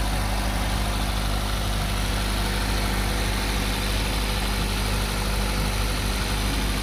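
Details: 2023 Maruti Brezza ZXI petrol, F4 engine, no leaks, after start: even, steady low idle hum with no knocks, ticks or misses; healthy normal idle.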